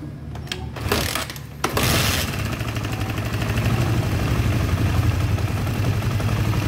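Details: Honda CB150R whose battery keeps draining despite a new battery (faulty stator/charging coil suspected) fires up for a charging test with a test lamp, idle adjusted up after stalling, settling into a steady, even putter of about four beats a second without dying.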